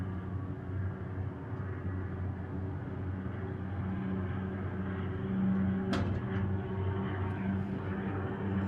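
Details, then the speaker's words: Diamond C MDT mid-size dump trailer bed lowering after dumping dirt; only a low soft steady hum and rumble, no groaning or knocking, quiet; normal lowering. "and quiet coming down. It's like the silent killer."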